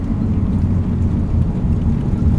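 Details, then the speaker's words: Nissan 180SX on test drive after new differential installed to cure a whine: steady low road and engine rumble, no whine or clunks rising with speed; whine gone, diff and gearbox quiet, normal drive. "Can't hear anything, no whine at all. Let me just take it for a proper boost."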